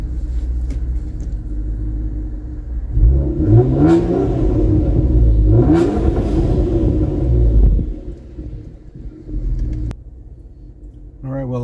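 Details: Ford turbo car with Gearhead tune, about 4,500 rpm rev limiter, VTA bypass valves; two clean rev blips rise and fall to steady idle, no flutter or hesitation, healthy.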